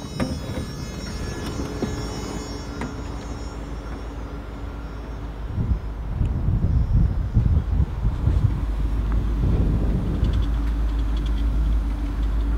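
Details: 1986 Rolls-Royce Silver Spur 6.75 L V8 at idle: low, smooth, steady rumble with soft, quiet exhaust and no knocks or ticks; healthy engine.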